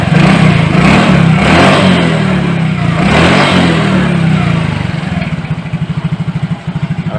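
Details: Yamaha Mio J after replacing the fuel pump IC: engine revs briefly, then settles into an even, steady putter at idle with no misses; normal idle.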